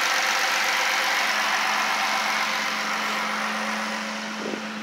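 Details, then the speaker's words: Dodge Charger V6 idling just after a homemade true cold air intake was fitted: steady, even idle at a little under 700 rpm (usually 600–700 warm) with a louder breathy intake rush, no hissing; sounds healthy. "i'm waiting to see if the car idles down more usually when it's warmed up and idling it idles at around six to seven hundred rpms it is currently at a little under seven"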